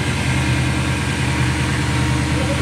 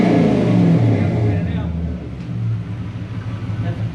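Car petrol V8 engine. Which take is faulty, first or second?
first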